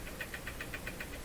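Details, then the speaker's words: Jewel Model 505 vacuum tube clock-radio, powered on with the radio switched off: quiet, rapid chugging tick of about seven to eight beats a second over a faint hum. This is the clock motor spinning as it drives the clock. "certainly hear the motor going the clock clock has no second hand you can't see easily but if the mortar is chugging I'm moving back clock is operating through this motor"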